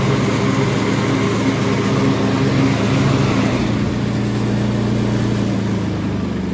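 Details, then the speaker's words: Kubota T1600 two-cylinder diesel mower, deck after rebuild with sharpened blades and greased spindles, after two to three hours mowing; steady, even drone and smooth hum with no grinding or bearing noise. "all right so i just mode with this thing for probably two or three hours we're looking all good under here um this thing honestly kind of exceeded my expectations for it so uh i'm very happy with it the deck sounds good now no awful grinding noises and bearing nois"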